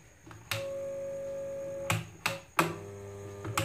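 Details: Kitchen mixer grinder: steady electric hum when switched on with no spin-up, then a clunk as it's cut; the motor coupler won't rotate, so it's jammed.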